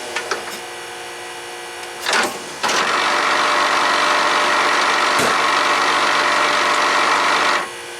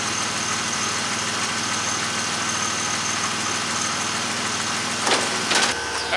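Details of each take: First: 1999 Pontiac Firebird pop-up headlight motor, recorded on the car. A brief buzz is followed by about five seconds of harsh grinding as the motor runs; the gear inside the motor is stripped. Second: 1999 Pontiac Firebird (4th gen) headlight motor after repair of damaged internal gear with kit: engine idling steadily, then short clean whirring bursts as headlights move; motor runs smoothly without grinding, everything working now.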